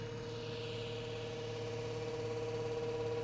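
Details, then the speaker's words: DIY jet-powered go-kart oil system pump after a cool-down cycle and power cycle, bringing oil up to pressure before start: a quiet, steady electric hum with no chatter or surging. Normal oil pump running. "the oil system up to pressure. Let the cart make sure that everything's ready to go."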